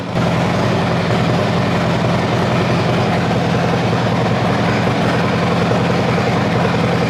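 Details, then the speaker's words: Copart Harley-Davidson with a cam, first start after connecting the BCM and ECM: steady, deep V-twin rumble with a choppy, loping beat and no mechanical clatter, running fine. "We have got power! We've got power, guys. You hear the vroom vroom on that thing."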